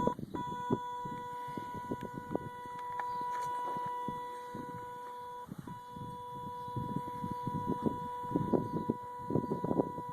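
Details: 2005 Kawasaki Brute Force 750 ATV with the key off: a continuous thin, high-pitched electrical chirp from the brake actuator/belt area. It persists after the owner cleaned and re-greased the actuator gears. Pulling the 30 A fuse is needed to avoid draining the battery.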